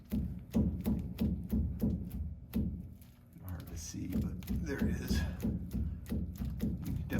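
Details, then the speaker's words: 1949 Ford F-1 front axle, spindle rocked by hand with backing plate removed: loose, uneven clunks about three a second from kingpin bushings that are pretty much worn out; the kingpin is stuck and won't come out. "hear the wiggle definitely the bushings are pretty much worn out but i cannot for the life of me get the kingpin out"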